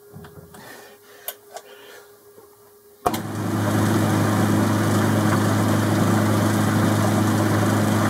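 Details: Boxford lathe cabinet drive unit after replacing the bottom and top pulley spindle bearings and drive belt, run at midway speed with a new, low-tension belt: after a click the motor spins up to a smooth, even hum, no knocking or slap; normal running.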